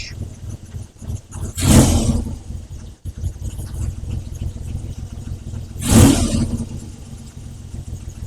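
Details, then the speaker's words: Triumph Trident T160 triple, after carb re-jetting for poor running at about 2,500 revs: steady tick-over with two clean throttle blips rising smoothly and settling back to even idle; runs healthy, very little exhaust smoke. "Very pleased with that. Very pleased with the tick over the way it's running. Not not too much smoke out the back."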